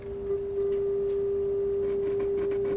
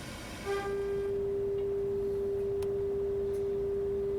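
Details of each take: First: Pioneer SX-1050 receiver, first power-up before restoration, FM tuner near 100 MHz at -20 dBm, dial slightly off: steady test tone with faint crackly static; may need cleaning, static on FM reception. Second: Pioneer SX-1050 receiver, first power-up before restoration, FM tuner near 100 MHz fed by a loop antenna at -20 dBm, center-tuned though dial reads slightly off: pure steady test tone over faint hiss; clean reception, tuner working.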